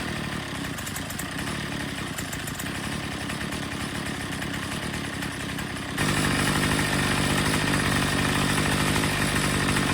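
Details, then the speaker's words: Troy-Bilt TB22 EC string trimmer during a tune-up, with the air filter cleaned and the idle already set. At full throttle the high-speed screw is turned in or out for maximum rpm. It gives a steady, clean high scream with no surging and afterward runs great. "we're going to full throttle it and then we're going to turn that in or out just listening for that maximum rpm"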